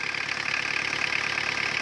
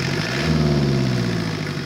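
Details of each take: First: Old Mazda/Ford diesel engine at idle, with some thousand miles on it: a fast, even ticking rides over the steady clatter. The owner notes one component making noise but the source is unclear; otherwise it runs well. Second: Ford Escort/Tempo with Mazda diesel engine: steady low diesel clatter at idle with an even beat and no misses; normal idle.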